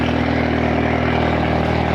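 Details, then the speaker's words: Audi TT with an Arduino fuel pump controller installed, sensors unplugged, warming up to temperature through a big exhaust: a loud, deep, even idle drone with no knocks or stumbles; normal idle. "we're just going to let the car get to like a proper temperature a little bit loud it's got a big exhaust on it"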